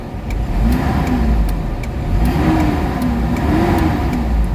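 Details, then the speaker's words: Mitsubishi Adventure petrol engine before XADO treatment; revs rise and fall sluggishly, engine only pulls around 2,000 rpm instead of 750-1,000 rpm, weak throttle response blamed on slight compression leak, throttle delay and low power. "Nasa 2,000 RPM bago magalit yung makina. Dapat niyan magalit siya ng mga 750 to 800 galit na yung makina. Pero sa unit na to, yung makina nagagalit nasa 2,000 RPM."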